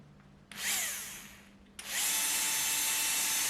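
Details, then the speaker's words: Würth 3/8in cordless impact wrench motor tested alone on a bench supply, drawing about 5 A with very low winding resistance: clean spin-up to a steady high whine with no grinding; motor good. "it does run and it's pulling about 5 amps so clearly it's a very high torque motor where the windings appear to be zero ohms but but uh they're not really they're just such a low resistance"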